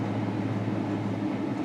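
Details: Warm V6 idling with a slightly uneven, lumpy beat; P0300 random misfire, cylinders 5, 3 and 1 misfiring; oxygen sensor judged faulty and to be replaced.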